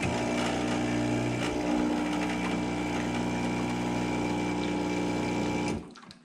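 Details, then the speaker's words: Expobar Brewtus IV espresso machine vibration pump running: steady low buzzing hum with a light glassy rattle of cups on top, then stops; normal pump operation with cup rattle. "so here's the pump noise and how the glass rattles and stuff on the Brutus"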